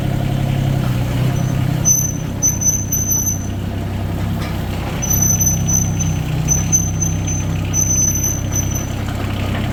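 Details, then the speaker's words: Yanmar 3TNV70 three-cylinder diesel (ex-JD Gator) just swapped into a CAT 300.9 mini excavator, idling: low steady chug, even firing, no misses or knocks, thin squeaks coming and going, no smoke, much quieter than the old engine; healthy idle. "It's very quiet, a lot quieter than the other engine. She's back working again."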